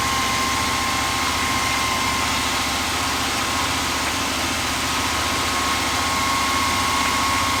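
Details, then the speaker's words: 1978/79 Ford F150 V8 that sat for years, first start-up with some oil pressure, fuel from the rear tank and no coolant yet: steady even unchanging idle with no knocks or misses; normal idle before a bent pushrod occurred. "when we originally fired it it didn't have a bent pushrod it idled real smooth revved up real fine"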